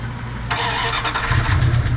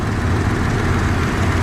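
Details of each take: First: 1994 Dodge Dakota SLT V8 on first start after a new oil pump and pickup tube. After a short crank, fast light lifter ticking rides over the idle and fades as oil pressure builds; a faint tick remains, possibly from earlier oil starvation. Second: 1994 Dodge Dakota SLT V8 after new oil pump and pickup tube: deep, even idle with a steady low rumble; the loud tick before oil pressure builds is gone, no ticking or knocking, engine sounds healthy.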